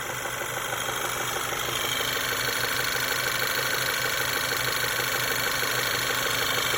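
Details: Engine knock on a VW CDAB 1.8 TSI with cam phaser vanes already replaced and timing chain in good condition: steady light ticking knock, about three per second, over a smooth idle with a high hiss; source not found.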